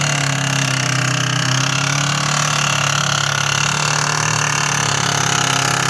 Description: Only a week old and started making these horrendous noises!